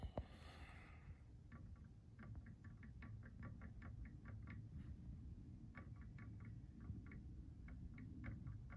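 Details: Prusa MK3 printer with the original, old factory tri-bearing Y-axis setup: light, irregular clicks, a few each second, as the bed is rocked by hand; play in the bearings, suspected worn or old bearings, not confirmed.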